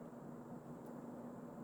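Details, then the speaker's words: Early-mid 1980s Emerson Casablanca Designer 36" plastic ceiling fan CF-2036W, K-55 stack motor, 2-speed, cracked motor housing, started on high: slight startup noise then smooth even airy whoosh with faint low hum, no ticks or rattles; normal running. "Start it up on high. It's a 2-speed fan. The small versions were always 2-speed of these. It does have a little bit of a startup noise, which is pretty interesting."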